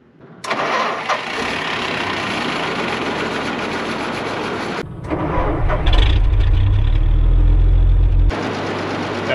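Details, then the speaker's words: WWII half-track after a carburetor float and fuel repair cranks for about four seconds, then catches and settles into a strong, steady low rumble while still cold; burns clean with no smoke and good oil pressure. "sounded pretty good that's burning clean i don't see any smoke at all nice oil pressure looks good"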